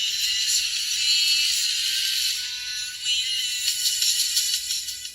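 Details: Marshall Stanmore II speaker with rodent-chewed wiring: the music plays thin and tinny, with left and right treble only and no midrange or subwoofer output, caused by a bitten-through flex cable and broken woofer voice coil.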